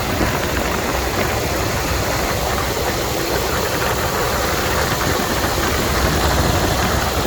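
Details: 1997 Jeep Grand Cherokee ZJ 5.2L V8 just after installing a billet power steering pump bracket; steady, even idle at constant level with no knocking or misses, engine running normally.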